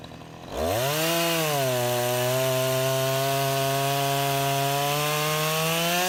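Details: Husqvarna 353 chainsaw after restoration from a basket case (gas line, chain drive, carburetor tuned), test cut: revs up cleanly and holds a strong, steady high tone through the cut without bogging or surging; running properly.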